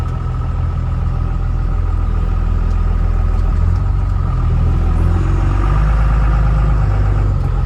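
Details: Ford F450 with an upgraded stage 2 46RH transmission idling steadily high, above about 1,000 RPM, with a deep even rumble. Lowering it makes the truck shake heavily; cause unknown.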